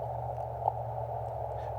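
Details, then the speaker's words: Elecraft KX3 with AX1 antenna, 10 W field operation in a rural area: sharp pops about every 1.3 seconds over receiver hiss, suspected pulse interference from a nearby electric fence; noise blanker to be tried. "think i hear an electric fence you hear that popping and you're in a rural area and you hear that you can bet that it's an electric fence doing that"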